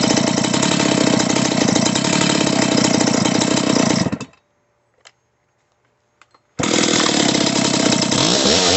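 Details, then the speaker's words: Stihl 028 AV Super chainsaw after top-end rebuild with Highway cylinder, piston and kit, retuned, two tanks run: crisp even high-revving buzz that stops and restarts strongly; healthy engine. "Again, I only have 2 tanks through it, but it sounds good, and I haven't had any issues yet."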